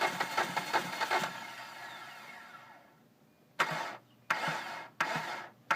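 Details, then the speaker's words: 2005 Hyundai Sonata 2.4 DOHC after a timing belt replacement and bent exhaust valves: a brief rough run fades out, then short cranking bursts without catching; a hard start, and it won't hold idle below about 1100 rpm. "it will sometimes start but it is not as you can see it's trying to start here so we'll try to start it one more time see if we can get it to run"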